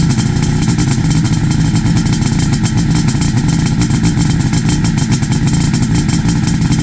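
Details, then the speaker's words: 1972 Suzuki GT380 two-stroke, kick-started cold after 4–5 days sitting; crisp, even burble holding a steady idle with no misfires or rattles, healthy after carb jetting and adjustment. "And let's start it, see what it sounds like. Now mind you, this is on a cold motor. I haven't started it probably in, I don't know, 4 or 5 days by the time I rode last."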